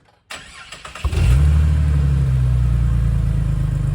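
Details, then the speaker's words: Ford FG XR6 ex-police car, first start after fitting a new cat-back exhaust with headers and cat unchanged. Brief crank, then a steady, deep, even idle with a mild burble and slight pop, not overly loud, no knocks or leaks. Normal idle. "got nice, not overly loud, not obnoxious. It's got a little bit of a pop."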